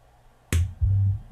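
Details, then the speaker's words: Monitor Audio RSW12 subwoofer amp after replacing all power amp board capacitors for a loud buzz, reassembled with heatsink compound; at power-on a red light and one crisp click as the speaker protection relay closes normally, then clean deep bass thumps through a small six-inch test speaker. "okay here we go power is applied let's turn the unit on get a red light i heard a click"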